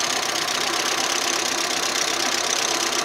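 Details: Audi 80 B3 at idle: fast light metallic ticking over a steady idle, loudest in the top end; hydraulic lifters suspected clogged, to be disassembled and cleaned.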